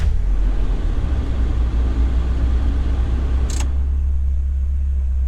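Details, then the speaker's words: 1996 Mazda NA Miata, hot, with the idle air control valve taped off to chase an idle surge while braking: it idles very low and heavy with a deep steady rumble. "well it's idling very [Music] low H right back down"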